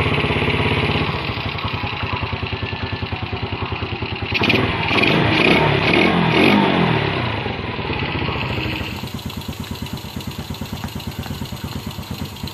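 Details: Yamaha Vega RR/ZR single after combustion-chamber carbon cleaning with foam cleaner: even, quick exhaust pulses at idle, clean rev rising and falling smoothly, then steady idle again; normal healthy running and revving.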